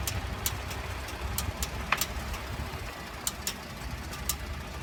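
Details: 2013 Ford F-150 FX4 EcoBoost clicking while turning: sharp irregular clicks two or three a second over idle; fixed by replacing the faulty IWE solenoid.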